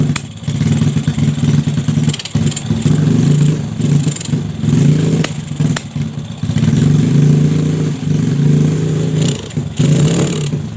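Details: Yamaha Jupiter Z with bored-up engine, new valves and piston, freshly fitted unset PE 26 carburetor: revs up then repeatedly sags and stumbles instead of pulling cleanly, like fuel starvation; hesitation, carb setting suspected.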